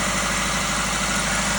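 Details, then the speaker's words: 2008 Toyota Ractis 2SZ-FE after home rebuild (rings, gaskets, seals, bearings) for oil burning and smoke, vacuum hose and exhaust reconnected: smooth even idle, steady low hum, no misses, ticks or exhaust leak; healthy. "And just like that, folks, the engine is running. What a relief."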